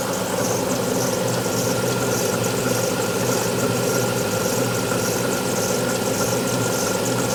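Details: Alfa Romeo 156 V6 in for timing belt replacement, cold start: cold idle with steady light tapping and a faint high tone over engine hum; two distinct abnormal noises heard only when cold, not noticed warm on arrival, cause unclear.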